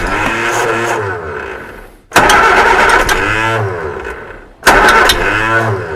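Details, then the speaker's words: Reliant Supervan engine started for the first time in 37 years on a cold November morning (about 1°C), choke closed, revving in surges; a light rhythmic ding-ding tapping rides over it as the fan strikes something. "the fan is definitely tapping on something but I don't know what it is well some's tapping on something around here you can hear it going ding ding ding ding ding"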